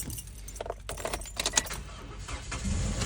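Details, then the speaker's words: 2014 Toyota Corolla LE with no-crank no-start from a stuck starter solenoid, after tapping the starter with a hammer as a temporary fix: keys jingle, short crank, engine catches and settles into steady idle; normal start, starter needs replacement. "Look at that, baby. Like magic. We got a running engine."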